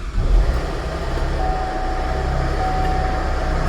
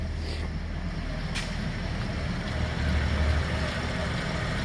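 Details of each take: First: 2010 Chevrolet Traverse, sat about a year, no-start case, now running: engine runs rough and heavy, not sounding happy, with a faint steady whine and rattle from the front; failed A/C compressor. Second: 2010 Chevrolet Traverse idling steadily with A/C on after compressor replacement and oil added; smooth even hum, no knocking or grinding, and the earlier loud compressor noise is gone.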